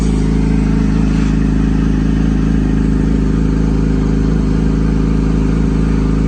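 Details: Yamaha YZF-R6 after engine repair and timing (cam chain) setup: steady, even four-cylinder engine holding a constant high idle with no chain rattle or clatter; runs cleanly.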